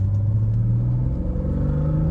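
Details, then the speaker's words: Healthy acceleration in a 1995 BMW M3 (E36) with cold air intake: deep, smooth intake roar rising evenly with revs, no misses, shifting without issue. "Oh, it sounds, I gotta give that cold air, I gotta give that intake credit, that cold air intake. What a sound it gives it. And this thing is shifting, no issue."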